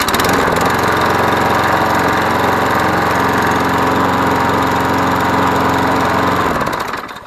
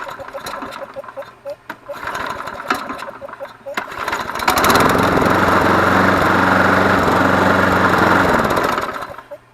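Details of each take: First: Yard Machines 20-inch mower, Briggs & Stratton 6.75 Series EX 190cc, after a blade strike, inspected for a sheared flywheel key and reassembled: runs steady at an even governed speed with no knock, hunting or backfire, then shuts off. Normal running. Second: Yard Machines (MTD) 20-inch mower, Briggs & Stratton 6.75 Series EX 190cc, blade bent after striking an object: pull-starts after a few tugs, runs at a high drone with coarse vibration despite a used balanced blade; cord kickback, sheared flywheel keyway suspected.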